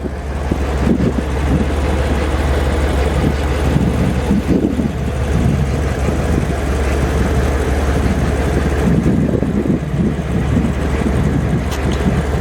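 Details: 1991 BMW 850i E31 V12, salvage car repaired and running again; low, steady idle hum under some wind rush, even and unbroken; engine idles smoothly.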